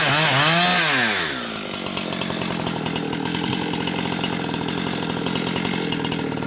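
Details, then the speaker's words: Husqvarna 362XP Special with wrong ignition coil and Walbro carb, cutting firewood: revs climb then break into gargling stutter near 11,500–12,000 rpm, barely 10,000–10,500; fine near 9,000 rpm under heavy cut; not carburetion, four-stroking at wrong coil's rev limit. "But the minute it comes up into that uh 115 12,000 range, that's when it starts to cut out and then it's gargling and uh I don't even know if it makes it 11,000."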